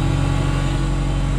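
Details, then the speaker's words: Genie S-60 boom lift engine after a crank-no-start repair: rough at first from starting fluid, then settling into a smooth, even run. The fuel pump buzzes steadily and oil pressure is present, so it is running normally. "so it's starting to smooth out sounds pretty good can hear that fuel [Music] pump just buzzing along"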